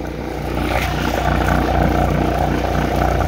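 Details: Slightly used Kohler 5EKD marine diesel generator on test run before boat install: steady even thrum, nothing audible yet; it soon auto-stopped on coolant loss from a tiny crack in the seawater pump/cooler assembly, sealed with marine epoxy.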